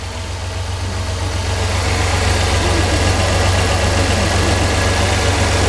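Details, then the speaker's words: 1999 Dodge van after a spark plug tune-up, first cold start of the day, previously had a miss and vibration: steady even idle pulse about four beats a second, no stumble, firing on all cylinders. "I'd say that thing sounds a whole lot better"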